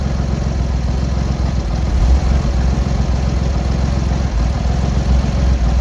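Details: Triumph Hurricane X75 triple at tick-over after the rebuilt carb rack was refitted, started on half choke: a steady, deep idle with only slight wavering. All cylinders pull evenly; the throttle stop screw is not yet adjusted.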